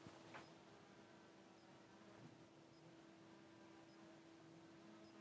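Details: Netatmo Presence camera with dead IR/security light, 5 V input present but only millivolts at LED output: faint high chirp repeating about once a second over a low hum, failing switch-mode power supply restarting.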